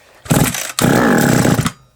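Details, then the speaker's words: SGS Engineering 26cc two-stroke strimmer, choke likely on: it bursts into life for about half a second, cuts out, catches for about a second and a half, then dies. There is spark, but it won't keep running; cause not yet found. "holy moly well we know we got spark it means it's probably gonna run or not spoke too soon i spoke way too soon"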